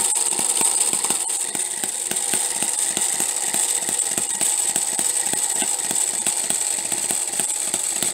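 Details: Homemade miniature 4-stroke hit-and-miss engine with a half-inch stroke, running; sharp pops of about four a second over a steady hiss, firing cycling in and out as the governor locks out the exhaust valve, healthy.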